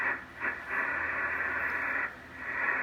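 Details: Drake TR4 transceiver, serial 81037, with noise blanker, on 40 meters. Its band switch was cleaned, tube contacts fixed, and IF cans and trimmers peaked. A steady soft hiss swells and fades slightly with no crackle or hum. Band noise is normal.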